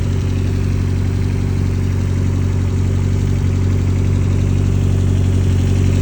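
Steady four-cylinder idle with a regular knock of about three beats a second over it, pointing to an internal knock of unknown cause.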